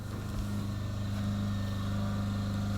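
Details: Yamaha EF2000is generator idling outdoors in below-zero weather during a simulated house power outage: low, steady hum with an even beat, no surging or misfire; normal smooth idle.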